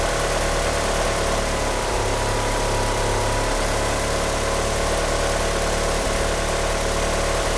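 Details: Car fitted with 850cc injectors, at idle: a lumpy idle with an irregular beat and a low hum that shifts partway through, with a slipping power steering pump belt. The car won't rev up. Rough idle, cause unclear.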